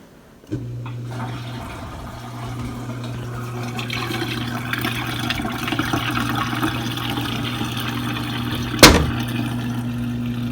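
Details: Samsung DW80R5060US dishwasher in diagnostic test mode, test 4 drain test; steady low pump hum with sink gurgling as water leaves through the dishwasher tailpiece drain; normal drain with sink gurgle.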